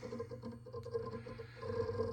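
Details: TerraMaster F2 NAS with 2 GB memory: steady hum with constant irregular rapid clicks and crunching, loud enough to hear in other rooms. Loud hard drive seek noise, also transmitted through the cabinet.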